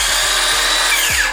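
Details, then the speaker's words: Milwaukee M18 Fuel 165mm brushless circular saw running free at its rated 5000 rpm: a high, steady whine that drops away quickly as the electronic brake stops the blade. A healthy saw. "can hear that it's a lot faster"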